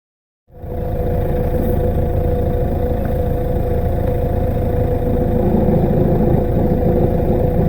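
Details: Peugeot 407 SW 2.0 HDi diesel at idle: loose, uneven rattle from underneath caused by a failing dual mass flywheel (DMF), heard as clutch noise; fix is a new original clutch kit and DMF.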